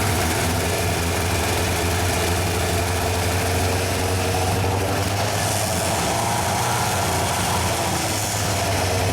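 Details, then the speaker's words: Yamaha 1200 FJ café racer project, first start after rebuild and oil fill, carburettors not yet synchronised: rough, wavering idle that won't hold, then revs climb and run away. The carbs are starved because the fuel pump wasn't running. "je me suis rendu compte que il fallait bien que la pompe sont en route sans ça sans ça le ralenti tenait pas"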